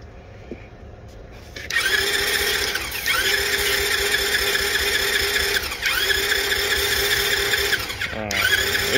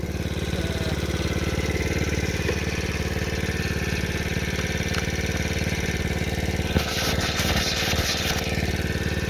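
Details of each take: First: $200 marketplace small dirt bike/moped with spark confirmed, plus fuel and compression: starter whirs in three long cranking bursts of several seconds but never catches or pops; no start. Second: $200 marketplace small dirt bike/moped on its first test drive, which runs and drives well: even, steady low putter at about four beats a second, no misses or knocks; normal idle.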